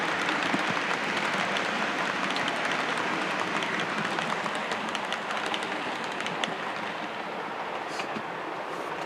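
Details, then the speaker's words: Class 37 model locomotive, running on 28 speed steps: soft even running hiss, light clicks crossing the points, no gear whine or grinding; normal running. "So there we are, that's what it should be. That's the sound of going across the points."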